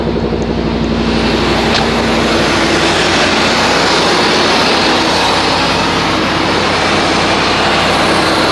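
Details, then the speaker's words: 1988-1998 Chevy K1500 Silverado V8 started after intake manifold gasket replacement, about 40-something degrees outside: loud steady even roar with no ticking, knocking or hunting; running normally. "All right, it's about 40 something degrees out here, and I'm going to go ahead and crank this up."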